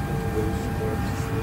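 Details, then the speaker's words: Airliner cabin on the ground, not moving, lights not working: loud steady electrical buzz with fixed high tone over low cabin drone; cause unknown. "We have a very loud buzzing noise going on. Do you hear it?"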